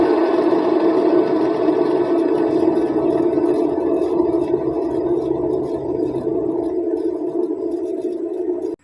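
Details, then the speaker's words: Perodua Kancil/Kelisa/Kenari/Viva (non-ABS), right rear tyre removed and drum brake spun by hand; steady rough hum with faint rhythmic rasp fading as it slows, unlike quiet left side; worn rear wheel bearing. "Dan untuk bagi lebih jelas korang dengar bunyi itu, saya keluarkan tayar dan saya try pusing bagian drum brake"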